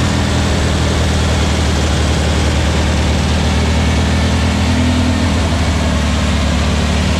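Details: New VW Beetle 1679cc single-port flat-four with Scat C25 cam and dual Empi ITC carbs during its 20-minute cam break-in. A deep, even burble holds steady speed throughout with no knocks or ticks. The fresh engine runs cleanly and the break-in went well.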